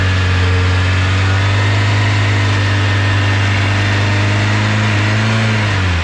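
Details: Tofaş Doğan after fixing a fault where it ran on petrol but not LPG: steady low engine hum with an even beat, pitch dipping slightly near the end; engine running smoothly and evenly.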